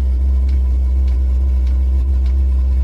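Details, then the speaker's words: Chinese diesel air heater on an Eagle bus conversion, running with flame: loud steady low growl with faint pulse about twice a second from the combustion air inlet because the intake muffler was not fitted. "oh that's my intake oh that's you got to put the thing on so i got to put my muffler on"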